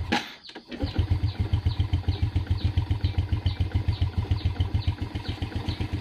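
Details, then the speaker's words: Yamaha Jupiter Z that had stalled with lost ignition, after repair: coil spark now strong. After a brief crank it catches at once into a steady, even single-cylinder putter, no misses; normal start and idle. "ini sudah hidup teman-teman ya. Jadi motornya sudah hidup, strumnya sudah normal ya."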